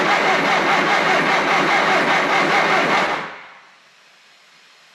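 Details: Triumph Spitfire start attempt, with fresh fuel in the carbs and a jump pack connected: steady starter churn at about two and a half turns a second for three seconds, then silence. Cranks without firing.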